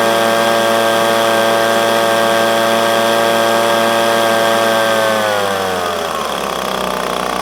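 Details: Echo PB250LN handheld blower, warm, after tune-up (air filter, fuel filter, spark plug) to fix bogging at full throttle when hot: clean steady high-pitched scream held at full throttle, smooth wind-down, pulls evenly; bogging fixed.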